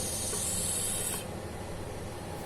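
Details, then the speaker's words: Household water pump being repaired for weak, air-sucking flow, primed and restarted: a steady motor drone with a loud airy hiss, water not yet coming out, still drawing air. "hai eh ini belum keluar ya Kita tunggu"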